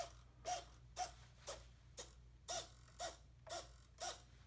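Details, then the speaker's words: RC plane with ESC, brushless motor and lipo battery, after power-up chirps and transmitter on: short buzzy whirs about twice a second as the rudder and elevator servos sweep back and forth cleanly and work normally. "we turn on the transmitter and we can see that the rudder and elevator homework"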